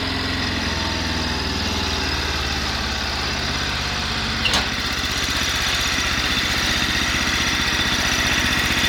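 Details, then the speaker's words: Cub Cadet 1100 tractor engine, partly rebuilt with new gaskets, standard bore, no oil burning or smoke: smooth quiet idle with steady low thump; a rattle heard is loose parts, not rod knock. "pretty sure the thing doesn't have a rod knock because it hasn't had any"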